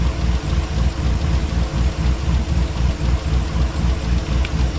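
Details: Chevy Tahoe at operating temperature, before an engine flush: low, even idle pulsing about 3–4 per second, and the cold-start rattle has mostly faded. Owner suspects the oil pickup tube clogs when cold.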